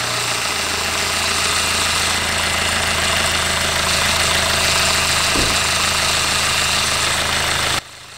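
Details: 2019 SsangYong Rexton Sports diesel after oil cooler replacement (coolant and engine oil had mixed) and belt damper pulley noise fix: steady idle with even beat and light hiss, no squeal or knock from pulley end; runs healthy.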